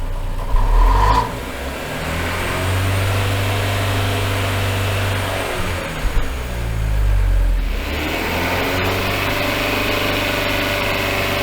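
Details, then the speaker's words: Engine on a dyno in limp mode: climbs, hangs flat at about 3,000 rpm, then drops back, twice; won't rev past the cap; repeated fault codes. "well it still isn't revving it that time it was only going to about 3,000 RPM"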